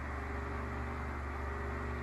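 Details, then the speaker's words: Sears 12-inch oscillating fan 453.80120 on high speed: a steady low hum with a faint even throb at blade speed, loud for a small fan. The blade may be slightly unbalanced, and the spin-down suggests dry bearings. "making a lot of noise see what the spin down has to say you can hear it it's a dry spin down dry bearings"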